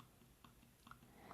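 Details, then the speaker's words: 2015 MacBook Pro 15-inch Retina Force Touch trackpad: three soft, crisp clicks about half a second apart in a quiet room. They are haptic vibrations rather than a mechanical click, working normally. "so it sounds like a click but it's actually not a click what it is it's it's a vibration happening on here that makes it sound like a click which is really cool"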